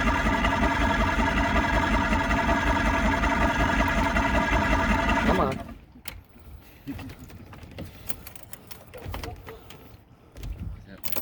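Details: Vintage outboard boat motor, first start in about 20 years, on the lake with choke: fast even buzzing run for about five seconds, then cuts out abruptly; runs briefly then stalls, seemingly not getting enough fuel.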